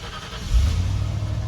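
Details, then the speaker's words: 1995 Ford F150 V8 just after installing an MSD 6AL digital ignition box, plug-and-play with harness 8874 on the stock coil. A quick crank catches within half a second and settles into an even, deep rumble with no misfire: normal start and idle. "Oh yeah, fired right up."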